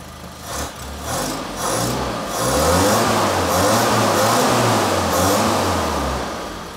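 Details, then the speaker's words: Toyota RA28 Fastback Celica after fitting a new exhaust, car started but not driven: catches and revs smoothly with a deep even burble rising and settling, no puffing, ticking or rasp; normal, well-sealed exhaust note. "and this is what it sounds like with a new exhaust"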